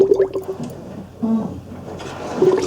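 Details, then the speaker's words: 2001 Ford Escape 2.0L during power steering fluid flush, front raised, steering wheel turned back and forth: wet gurgling and bubbling with faint pump hum from air trapped in the fluid. "I can hear it gurgling away and see bubbles coming up"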